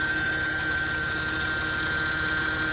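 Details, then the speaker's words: 2008 Mercedes C300 after topping up power steering fluid: constant thin high whine over smooth idle near the pump, louder turning the wheel; power steering pump suspected bad, possible leak, not confirmed. "listen more to it, it's coming down here where the pump is. My guess is that the power steering pump is no good."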